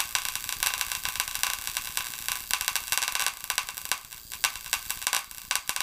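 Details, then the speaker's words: Paradigm PW 2100 v2 subwoofer with the amplifier removed from the case and plugged in: irregular sharp pops and crackles from a shorting power-supply circuit board that gives off smoke, a fire hazard. "well so obviously some sort of short going on there imagine what could have happened if that would have been left in the wall plugged in while you're away on vacation"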